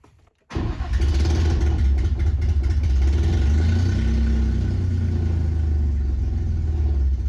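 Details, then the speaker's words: Nissan 350Z after its engine and transmission were installed and two fixes made, on a start attempt. The engine fires into a steady low rumble but is still starting and dying; the RPM signal reads for the first time. "Okay, that's better than it was before. Still kind of starting and dying, but at least it started."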